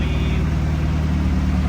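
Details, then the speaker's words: Honda Civic EG hatch after an engine swap with new oil pan and gasket, no exhaust, warming up before the thermostat opens: steady, even low rumble with no knocks, misses or ticks. Normal idle. "Sounds good with no exhaust fan, no gas. I know. It sounds pretty good. It just needs needs a few things, but mainly it's running."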